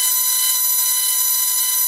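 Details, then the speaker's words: 20mm EDF unit in a static bench run after balancing the impeller with tape and drilled holes, blade gap about paper-thin. A steady, piercing high whine with no wobble; it runs smoothly with no vibration, though the motor shaft rasps at mid-throttle. "there's just no vibration i'm loving it this is really going to zoom"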